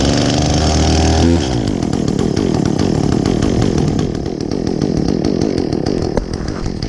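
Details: Echo chainsaw, chain worn from maple cutting, last run two or three weeks ago, started on choke after priming with chain brake on: idle snaps cleanly to a high, steady rev without bogging; bar oil spews when revved, normal running and revving.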